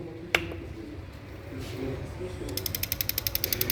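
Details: Opel Astra 1.6 Ecotec LPG system, injector on the tester: after a quiet start, crisp even clicking at about twelve per second; this LPG injector is firing properly.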